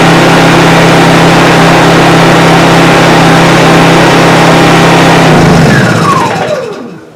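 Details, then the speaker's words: New Honda EU2200i 2200 W inverter generator, freshly filled with oil and gas, first run: smooth, steady, quiet hum with even pitch, no surging or knocks, then winds down cleanly at shutdown; healthy. "I bought it because it is extremely quiet as compared to my other um my other generator. The other one is extremely noisy. This one is nice and quiet."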